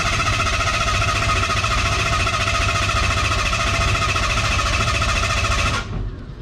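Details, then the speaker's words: Ford Ranger truck after an oil change, ignition disconnected so it won't fire: a steady starter cranking at about three and a half pulses a second to build oil pressure before starting, then it stops. Normal cranking; pressure later reached 50 psi. "right we're all done i've disconnected the ignition so it won't fire"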